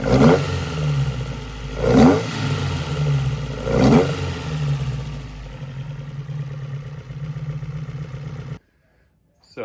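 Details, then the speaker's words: Alfa Romeo GTV race build, stainless large-diameter straight-pipe exhaust with one muffler ahead of the rear axle, untuned before dyno: three sharp blips two seconds apart, then deep loud slightly lumpy idle; healthy, free-flowing exhaust. "I think it sounds good. It's I mean, it's loud. It's just It has one muffler in front of the rear axle and pretty big diameter straight pipe stainless steel."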